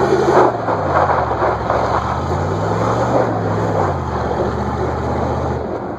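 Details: 1994 Chevy 10-bolt rear end: low droning whine wavering in pitch as it loads; works fine at first, then when one wheel grabs traction the other stops and whines, with binding or clunking.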